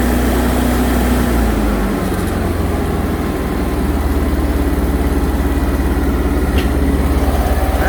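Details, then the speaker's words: New Lincoln Ranger 330MPX welder generator, first startup after priming the fuel pump, at idle: steady, even low drone with no misses, knocks or hunting; smooth, healthy idle. "pretty smooth."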